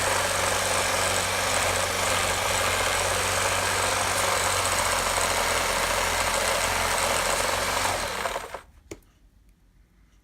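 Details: Gtech AirRam K9 cordless vacuum with temperamental switch and battery issues: motor runs with coarse fast rattling rumble, about three or four pulses a second, then spins down; noise always present, progressively worse; rough motor, cause unconfirmed.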